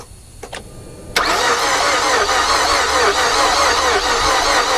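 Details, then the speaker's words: 2007 Mazda 6 bought as a project, coils out and spark plugs full of oil, checking for spark: steady cranking with no catch, never fires; owner suspects no compression, though spark is present on number four. "i would rather figure out why i don't have fire than that i have no compression in this motor which unfortunately is what it sounds like"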